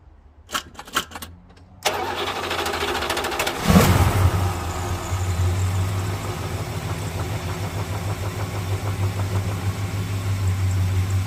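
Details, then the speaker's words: 1978 Plymouth Volare, cold start at a service after 300 km of driving: brief cranking, then it catches with a rev flare and settles into a steady, even low idle. The oil light went out normally and the engine sounds healthy. "You heard it do the nut, picking up the oil, whatever, and then, yeah, that's usually what happens."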